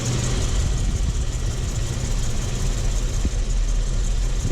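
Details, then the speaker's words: Chevrolet Suburban V8 idling after BBK headers installed, broken exhaust manifold bolts welded, plugs and wires refitted: deep, even rumble, no ticking or exhaust puffing; sounds much better, smooth and sealed. "So far, so good. Definitely sounds a lot better under here."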